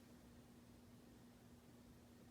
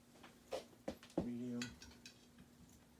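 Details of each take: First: Hunter Leighton ceiling fan from 2005 running quietly with faint motor hum and air hiss; a clicking from a sticker tag loose inside the motor has just stopped. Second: Hunter Leighton ceiling fan, built week 35 of 2005, on low speed: light, fairly even ticking about three times a second over quiet motor hum, then stops; a fallen sticker tag being thrown around inside the motor.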